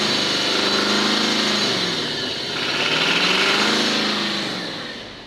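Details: Nissan Patrol Platinum Y62 engine running with a loud hissy, whirring top end that swells and fades; unusual noise, source not pinned down.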